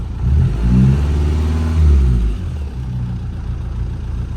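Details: Vauxhall Astra H van, Z19DTH 1.9 diesel with new injectors, after top-end repair of suspected snapped rockers and retiming, engine sat on bricks: catches and revs in two smooth surges, then settles to a steady, even idle; running normally.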